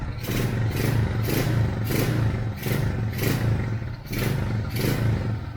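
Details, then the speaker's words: Carbureted motorcycle, just started cold, after cleaning clogged carburetor jets: about eight quick clean throttle blips in six seconds, no sputter or stall; normal throttle response after carb cleaning. "Menor natin hindi pa mainit yan kakabukas lang hindi siya pumupugak h siya namamatay kasi hindi na barado yung karburador natin yung mga jetting niya hindi na barado"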